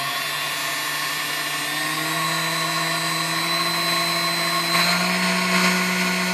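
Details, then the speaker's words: Fully restored Sunbeam Mixmaster Model 7B after slight adjustment: smooth steady motor whine rising gently through the speed range, no barking or rattle, so capacitor is good; healthy mixer motor. "all right as you tell it goes through all the you know that's the speed range nice and smooth um you know it's just a good running little machine here"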